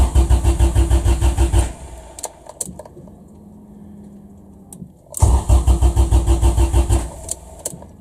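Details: Honda Civic EF after OBD0-to-OBD2 wiring swap: steady starter chug about three beats a second, pauses, never catches. Crank, no start; regulator gauge shows no fuel pressure, fuel pump suspected running backwards, plug wet with fuel.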